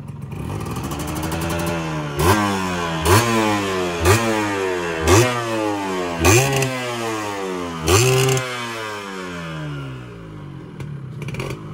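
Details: Yamaha 125Z two-stroke, first run after engine rebuild (damaged conrod addressed, magneto checked), stock exhaust: pulls cleanly through five rising revs with gear changes, drops back smoothly off throttle, no rumble or clatter; normal running.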